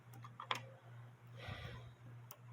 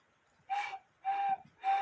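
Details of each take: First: 1950s Poppo musical cuckoo clock with count wheel: steady tick about once a second while the music box keeps playing, because the music box stop bar needs slight adjustment to stop the governor fan. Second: 1950s Poppo musical cuckoo clock, replacement (non-original) bellows fitted: three short, clear hooted whistle notes at the same steady high pitch, each about a third of a second; the high-note bellows sound right.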